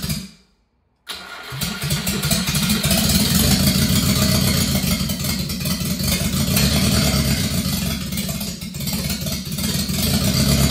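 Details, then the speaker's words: Subaru Sambar, carbureted engine first start during restoration: catches after a pause and runs lumpy and uneven at idle, smoothing as fuel ran out; owner suspects a faulty carburetor float overfilling; rough running. "all right that definitely ran better towards the end just because it ran out of fuel so I really don't want to take this carburetor apart but it sounds to me like the the float isn't working it sounds like it just keeps pumping fuel in"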